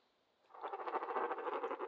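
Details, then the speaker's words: HO slot car rear axle pushed slowly by hand on a box that amplifies sound: fast, uneven warbling rattle, roughly ten pulses a second, as the axle rolls; bent axle wobbling, needs replacing. "now you can really hear that wobble sound listen to that all my back axle everything's jacked man"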